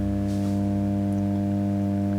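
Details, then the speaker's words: Marshall JTM45 Super 100 amp, believed late 1965, at full voltage, bias fine: a steady, unacceptable low mains hum with a buzzy overtone that stays with all controls down and the input unplugged; the fault is suspected in the output section. "there you go pretty horrible unacceptable hum"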